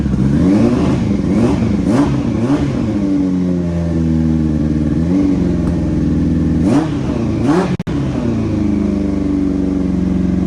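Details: Yamaha R1, carbureted, off road about 5 years, running on starting fluid: revs surge up and sag unevenly, catching and stumbling, barely keeps going; owner suspects ignition issue, carbs leaking and need rebuild. Rough running.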